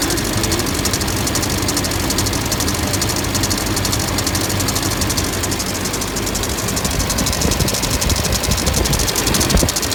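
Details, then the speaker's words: LMM Duramax diesel idling with a light, fast clicking ticking on top that sounds like a bad pulley bearing. Every pulley and the A/C clutch were replaced, but the ticking turned out to be the worn serpentine belt. "That clicking sound. It sounds like a bearing pulling."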